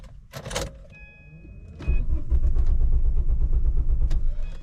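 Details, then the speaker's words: 1994 Volvo 850, new battery, fuel pump changed, after sitting one to two hours: starter spins the engine briskly with quick even pulses but it never catches; cranks fast, no start, only starts with jump starter; spark or fuel unverified. "it cranks very fast so it's not a slow crank the powered battery is powerful"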